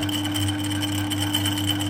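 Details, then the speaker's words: Harrison 140 lathe with a 3HP motor, new high-speed taperlock pulley and new A68 belts: a steady motor hum with a light uneven rattle from the copper clutch plate, whose holes are worn on its hardened 8mm pins. The rattle stops when the clutch engages. "h that but you can hear this this clutch flch plate is very noisy you can hear the rattling already so the rattling is from that part plate"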